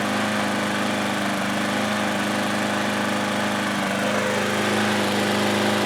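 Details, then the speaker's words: Older Craftsman mower single-cylinder engine, first run after carb cleaning, partly stale fuel still in carb: fast-idle buzz whose pitch sags and climbs again, governor hunting; surging, owner suspects stale fuel. "so I didn't elect to clean any of the fuel out of that carb that I had already cleaned so it's possible that it's only surging like that because some of that fuel and there's a little stale"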